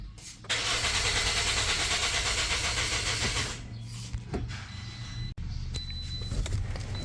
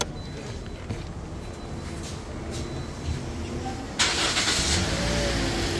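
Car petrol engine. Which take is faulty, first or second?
first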